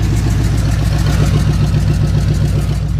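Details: 1988 Chevy K1500 V8 on open shorty headers, no exhaust yet, warm start: deep choppy burble about four pulses a second, less loud than expected; owner suspects a leak from a loose header bolt.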